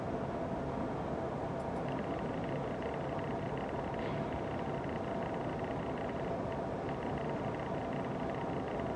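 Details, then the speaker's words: Canon Vixia HF R10 camcorder, quiet office: faint fast buzzy rattle high above steady hiss from the autofocus motor; goes away in manual focus; autofocus motor rattle. "Do you hear the rattle? It's the autofocus. And I'm not the only one with this problem."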